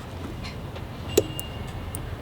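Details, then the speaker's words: Electric Power Wheels Jeep (12V) run from a 36V battery on a 48V controller: one sharp relay click over quiet hum as the controller switches on; motor doesn't run until the gas pedal switch is pressed. "You can hear the relay click. See, it's not working. That's because it has to go through this cable, and this cable goes to the switch, which is the gas pedal on the car."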